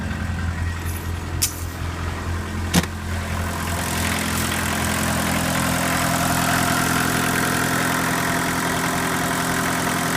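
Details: Mk1 VW Rabbit diesel with replaced, dry-rotted overflow injection hoses, recorded on an iPhone near the engine: after a couple of clicks it starts and settles into a steady, even idle clatter with no misses or knocks; healthy.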